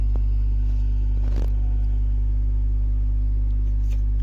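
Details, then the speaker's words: DIY 12-inch speaker on a 12V DC amplifier with the volume pot opened up: a steady, smooth low tone with no buzz or crackle, so the test tone is still clean and undistorted. "Suaranya masih mulus ya. Potensio volume udah saya buka."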